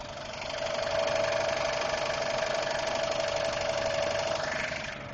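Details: 2002 Subaru Impreza WRX at idle: fast, light, even ticking on top of the engine that began about two weeks ago; source unknown.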